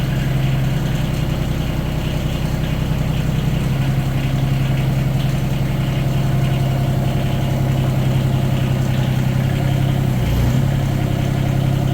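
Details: Yanmar 3TNV70 three-cylinder diesel (ex-JD Gator) just swapped into a CAT 300.9 mini excavator, idling: steady, quiet low thrum, even firing, no misses or knocks, no smoke, much quieter than the old engine; healthy idle.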